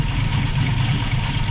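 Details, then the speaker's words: 1965 Mustang straight six, Autolite 1100 carburetor after adjustments: low, slow, lumpy idle with deep steady rumble, running nicely otherwise; idle speed too low, idle speed screw needs turning up toward 800 rpm. "she's actually running very nicely we actually got to bring the idle up some"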